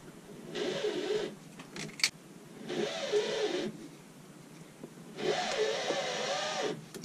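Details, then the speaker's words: 2006 Meridian 341 boat, propeller shaft turned slowly by hand with a strap wrench: wavering mid-pitched squeak rising and falling with each turn from the cutlass bearing, caused by shaft misalignment from aging motor mounts; leaky PSS shaft seal. "there's a squeaking noise that appears to be coming from the cutlass bearing so if you listen when i spin it slowly"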